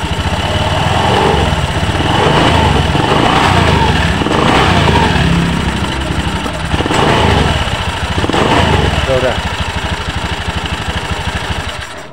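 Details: Honda Beat ESP scooter after CVT repair for a rough, noisy drive side, with the worn roller housing and slider pieces replaced; even, steady idle with a smooth putter and no rattle or grinding from the CVT; runs clean.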